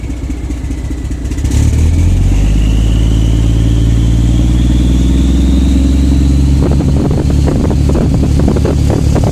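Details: Truck with new injectors, new unit pumps, EGR and DPF deleted, no codes, running ultra rich: revs climb smoothly, then turn ragged with stumbling pulses at steady part throttle; misfire only at part throttle, fine at wide-open throttle.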